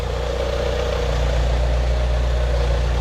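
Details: 2Gb Mitsubishi Eclipse GS-T after cam seals and valve cover seal were replaced and the missing AC belt and AC tensioner bracket were added; even, steady low idle with a smooth pulse and no knocks, ticks or squeal: normal idle.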